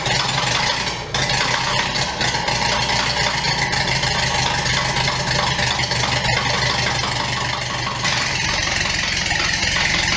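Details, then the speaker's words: 1929 Ford Model A doodlebug with an unknown donor four-cylinder engine, first bare-bones start: steady, even run with no knocks or misses, light rattly top-end chatter, little smoke; sounds healthy. "She's a runner. Well, guys, I would declare that a huge success. Doesn't sound too bad."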